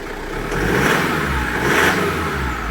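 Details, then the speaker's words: Mitsubishi Pajero 4x4 diesel, previously hard starting with extra engine noise and exhaust smoke, after replacing and adapting all four injectors: held at raised revs, smooth and even with no knock; engine healthy, fault was the injectors. "работает отлично и пойдемте посмотрим что то сравнивать со стороны выхлопной трубы тоже все хорошо"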